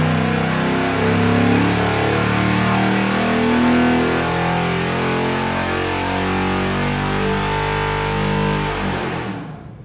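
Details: Ford 7.3L Godzilla V8 crate engine (625HP package, made about 630 hp) on a dyno, BTR intake, Holley pulley system and pan with internal pump, custom grind cam, for a '51 Ford F100; deep V8 sweeping smoothly up through revs then cutting off cleanly, no knock or miss, normal.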